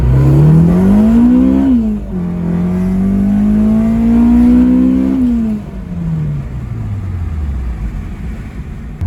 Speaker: Listen to this beautiful VTEC crossover.